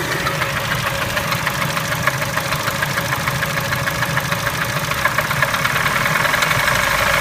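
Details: Engine knock at idle on a Kia Spectra: fast, even tapping about three a second over the engine hum; source suspected, not confirmed.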